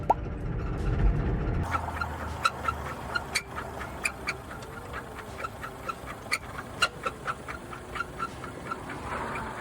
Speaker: Customer states they had an oil leak so bad that it shut off on the highway and after filling it back up, it started making this noise.